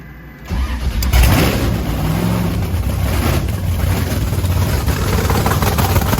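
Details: Blower Camaro on methanol, first start after cleaning gunked fuel nozzles: catches after a second and settles into a strong, steady lumpy rumble with no stumbling or bogging; normal running.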